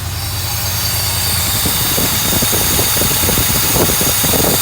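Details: 1982 Mercedes 380SL: steady fast idle around 1500 rpm with a busy, even exhaust note that never drops to a normal slow idle; high idle, idle speed control module suspected.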